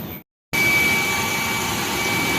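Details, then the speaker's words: Water pump that had surged and pushed air with the water, after opening the top cover, refilling with water and restarting: steady strong water rush over an even motor hum with a thin high tone, no sputter; pump now drawing normally. "ตอนนี้หลังจากที่เราเปิดฝาบนแล้วกรอกน้ำใหม่แล้วเปิดปั๊มน้ำเข้ามาแรงครับ"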